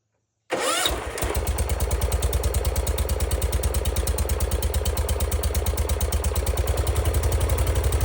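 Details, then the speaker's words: Circa-1974 John Deere 140 garden tractor, single-cylinder, first start with new oil, fuel and filter, more choke; catches after brief crank into even thump about three beats a second, no knock; healthy, though carburetor bowl leaks, probably from reused gasket. "Give it a little more choke. Well, it doesn't knock or anything, but that car bowl is leaking."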